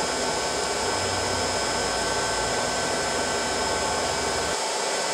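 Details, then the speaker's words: Electric motor newly fitted to a glass crusher (replacing a failed gas engine), run on a VFD at 60 Hz: smooth, steady high whine at constant pitch, about 3595 rpm against roughly 3490 nameplate; normal running. "the nameplate rpm is about 3490 I believe and this is what we are getting 35 95 so I'm about 100 rpm 105 over I can live with that"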